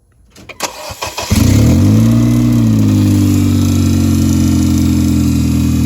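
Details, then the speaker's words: Race car engine just installed, fired up: loud steady run with quick even tapping about four a second when the fan cut on: something hitting the cooling fan blades. "something just went yeah yeah the fan something's hitting the fan the fan cut on it"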